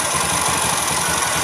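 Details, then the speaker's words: Honda Vision scooter with error code 52 (CKP crank sensor): idling evenly with steady quick putter; engine dies within 3 seconds of starting and only restarts after cycling the key; unstable ECM power supply to CKP sensor. "Khi mà khi mà nổ máy lên trong vòng 3 giây nó tắt máy nha Mà người ta tắt máy khi tắt máy rồi mà người bấm đời không không bao giờ nổi rồi mọi người hả không bao giờ nổi"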